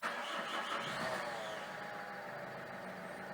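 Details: Peugeot 307 2.0 HDi diesel, 240,000 km, just started: loud harsh rubbing scrape from the belt area, diagnosed as a faulty Bosch alternator decoupler pulley; idler roller below alternator also suspected; alternator removed.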